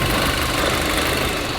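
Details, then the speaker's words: VW Golf GTI after new fuel filter, still idling rough and lumpy with an airy hiss from a vacuum line; vacuum leak, later found to be a snapped vacuum pipe. "The engine was definitely still running lumpy, and I was almost certain that I could hear air escaping from one of these vacuum lines."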